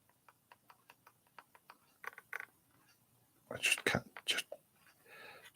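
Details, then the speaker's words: Rally slot car (proxy race preview): light, even ticking about five times a second as gears turn, pinion not fully meshing with crown gear; pinion may need pushing further on. "there it's catching I can hear it clicking I'm not fully meshing like you've got oh maybe the pinion could do it being pushed on further"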